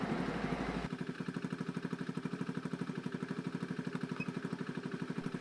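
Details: Honda Beat FI scooter brought in for stuttering when throttled; warm idle with O2 sensor swinging 0.2–0.9, AFR near 14:1 and fuel trim adapting; a steady, even putter of about three pulses per second with no misses or knocks.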